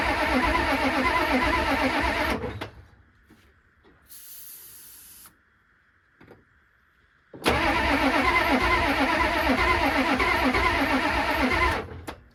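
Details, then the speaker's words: Ford F-350 diesel sitting 19 years, cranked after fuel is poured down the intake; two long cranking spells at roughly three beats a second, never catching. Crank, no start; owner suspects no fuel delivery and plans a lift pump and fresh diesel. "That's enough for me. I know it'll start, but it's looking like we're getting no fuel. So I'm gonna go pick up a lift pump and some fresh diesel, put all that on, see if it starts."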